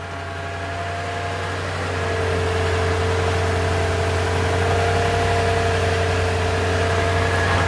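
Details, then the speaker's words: Toyota Tundra V8 on a very cold morning (nine degrees): after a rough first start with heavy smoke it now idles steady and smooth, fan whirring in the background; normal idle. "I don't think you guys can hear it but now it's idling fine earlier when I first started it was I don't really rough"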